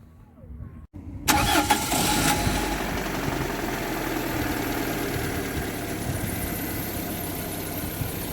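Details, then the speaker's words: Warm petrol engine after oil service to cure hydraulic lifter tapping: cranks, catches and idles smoothly with lifter knocks gone; a worn alternator bearing remains, cold-start check pending. "в принципе все стуки пропали 2xy работает ровно"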